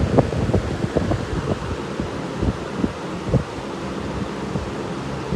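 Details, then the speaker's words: Wizard 20-inch two-speed, four-blade box fan with rebalanced blades and a half-inch shaft motor, on high drawing about 3 amps: steady rushing airflow with a soft low hum and no knocking or rattling. Normal running. "For this being a fourblader, it's really not that loud. Quite the air mover, though."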